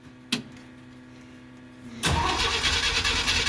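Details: 1969 Jeep Willys CJ5 that sat about seven months over winter with a dead battery, cranked on jumper cables in a cold spring start. A click, a pause, then loud steady cranking that turns the engine over without catching; hard-starting cold engine.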